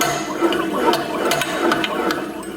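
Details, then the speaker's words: 2001 Polaris Xplorer 250 two-stroke ATV, seized engine, crank rotated by hand with top end off: gritty whining whirr with irregular clicks from worn crankshaft main bearings; rod bearing has no up-down play, crank seal possibly leaking. "Hear that like whining sound? Those are the crank bearings."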